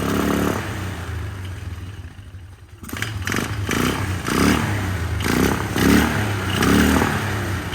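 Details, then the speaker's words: 1999 Polaris Sportsman 500 single-cylinder ATV after fuel pump replacement, first start on temporary tank without airbox: stumbling, surging unevenly at light throttle; rough running, carburetor adjustment planned, cause unconfirmed. "running not running smooth as I like to see it let me tweak on the carburetor a little bit"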